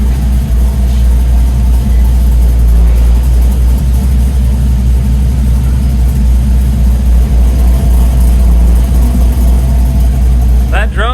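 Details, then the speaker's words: LS-swapped Chevy C10 idling after throttle adjusted, fuel removed and timing added in tune, tailpipes not yet fitted; deep steady rumble, smooth, no knocks or misses; normal idle. "let's see what she sounds like oh my god it sounds beautiful it honestly sounds perfect oh my god"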